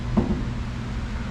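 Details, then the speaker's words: 1973 VW Super Beetle, parked wheels turned by hand: dull hollow knocks with shuddering in the front suspension, noticed most on the right side while driving. It persists with the steering damper removed, so the damper is not the cause; cause not yet found. "turning the wheel it's a little bit kind of stuck you can see it kind of shuttering just a little bit and obviously it's making that knocking"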